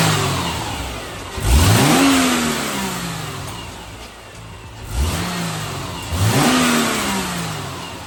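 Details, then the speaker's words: 2008 Subaru Legacy 2.5, manual, stock before the Cosmo Racing intake install: several clean blips rise and fall smoothly back to idle, with an even exhaust note and no misses, rattles or hesitation. Normal revving, nothing major going on. "I don't know what that first crank was about, but uh yeah, that's what she sounds like stock. Um, nothing major going on."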